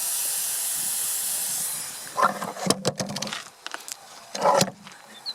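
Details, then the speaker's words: Borehole water system pump in Portugal filling a tank: steady high sizzling hiss for about 2 seconds, then clunks and handling noise. Runs 10–15 minutes until the float shuts it off around 2000 liters; normal operation. "You see the tank is filling. So that will run for about 10 or 15 minutes. Once the float registers it's full, it will shut off."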